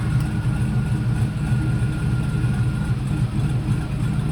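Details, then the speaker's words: 2019 Silverado V8 with a smaller Jam performance cam after a retune, settling from start-up to idle: deep steady rumble with slight cam lope, no knocks or ticks, great oil pressure; runs well. "there we go yeah no no she she's runs real good it's got great oil pressure really happy with how this truck turned out"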